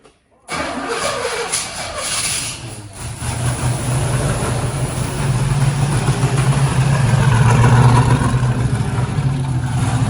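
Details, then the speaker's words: 1974 Pontiac GTO 455 V8 after carburetor rebuild: catches after brief crank, then uneven lumpy idle rising slightly; keeps running only with choke held open. "so you got to keep the choke open"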